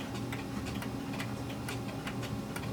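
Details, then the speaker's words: Pendulum clock during beat adjustment by bending: tick-tock pairs slightly uneven, one beat a touch early, still a little out of beat, needing a bit more bend. "we're not quite there a little more"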